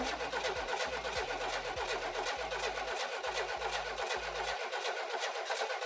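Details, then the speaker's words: Buick Grand National after new ignition module and coil, 87-style ECM upgrade tested, vacuum lines checked: engine catches into uneven, lumpy idle with irregular puffs and stumbles, no more black smoke; rough idle, tune unfinished, new PROM chip pending. "So definitely progress, right? There's no more black smoke coming out of the exhaust, so I know its tune is getting there. It's got a little bit more work to go."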